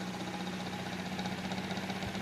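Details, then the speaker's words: Vornado 12P1 fan humming low with a faint loose rattle when the head is tilted back and speed slows; rattle stops when tilted forward and speed picks up. "all right so this is the problem with the fan as you can see it's tilted up I don't think there's any distance problem here but it's tilted up it has like a slow rattling sound"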